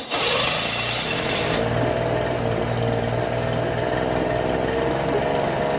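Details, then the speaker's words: 1968 Electrolux Penta E-50 43hp three-cylinder two-stroke outboard, first run in over 20 years, running in a test barrel: lumpy, uneven drone; only the top cylinder hot, per temperatures and spark plugs; water pump impeller not drawing cooling water. "And on top of that, the engine also sounded and ran a bit strange. The two lower cylinders seemed to stay cold and only the top one was hot."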